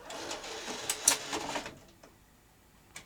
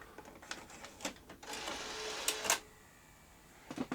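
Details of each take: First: Sony BVW22P Betacam SP player loading a tape after an earlier slipping-belt-like sound: a short burst of even whirring and light clicks, then quiet as it laces; normal tape loading. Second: Sony BVW-22P Betacam SP player loading a tape: a few sharp clicks, then about a second of harsh mechanical whirring and grinding, suspected slipping belt; a second attempt sounded better and laced up.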